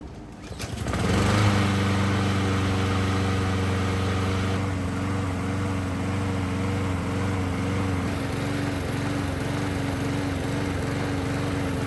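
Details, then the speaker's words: Small engine (Honda-type with pilot jet) starts, then spits, sputters and surges as the automatic choke opens, from a clogged pilot jet. "as soon as the automatic choke opens up on this engine it starts spitting and sputtering and surging and carrying on and doing all kinds of annoying things"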